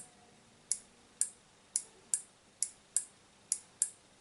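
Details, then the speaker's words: Relay on a homemade Arduino Mega battery tester/charger board, driven from 5 V: crisp, clean single clicks, about nine in four seconds, so the relay is switching properly. "get it click ok so the relays working"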